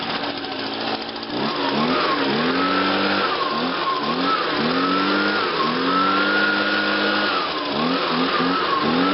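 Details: Small two-stroke lawn equipment engine at spring startup, started on choke with primes: catches and revs up and down repeatedly, crisp buzzing pitch climbing and falling cleanly with throttle; runs healthy.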